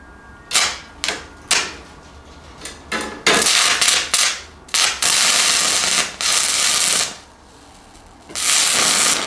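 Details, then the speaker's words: Fronius TransSteel 2200 running a 1/8 in 6010 rod hot: harsh crackling arc repeatedly drops to silence; the machine keeps shutting off, since it cannot run 6010 well. "all right so as you can see y kept shutting off on me um I'm want to turn it down"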